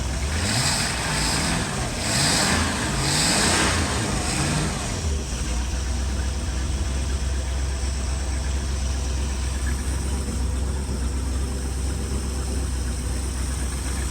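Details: Old Mastercraft ski boat inboard engine, first start after 5 years in storage, after fuel system and carburetor cleaning, oil change and new plugs: a few rough revs, then a steady, even low rumble with no knocks or misses. Normal idle.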